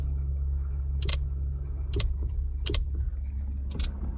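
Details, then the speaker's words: Four sharp relay clicks about a second apart over steady idle on a classic Ferrari 308 as the steering wheel is turned, with the horn button unwired; spare horn relay fitted, suspected wiring to a contact point in the column. "Obviously I'm not going to get anything from the button because there's no wiring to it, but if you listen to this, when I move the steering wheel, can you hear that? Listen to the relay."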